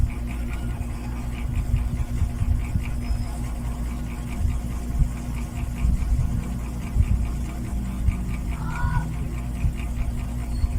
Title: Late upload my 8 months old NSS 410 MM mini ceiling fan Noise after running for a few hours